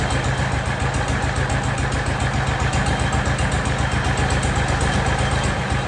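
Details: Jacobsen Chief 1200 tractor, cast-iron Kohler 301 single with a Chinese carburetor, after sitting 3 years, with the idle raised and the carb adjusted: a steady, low, regular thump with no misses or hunting, no smoke; normal idle.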